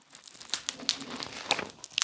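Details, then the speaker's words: Autel MaxiCharger Lite 50-amp EV charger cable, frozen stiff in cold weather, being uncoiled from tight loops: dry crackles and sharp snaps, then a rustle, as the stiff cable cracks. "It's not terrible, but it's stiff. You hear it cracking?"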